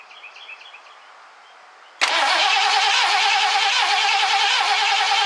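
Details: 1969 Ford Econoline van, last run date unknown: fuel line disconnected at the engine and fed from a gas can, cranked to test fuel pump delivery. The starter spins the engine at about three even beats a second but it never fires; cranks, no start, cause unconfirmed.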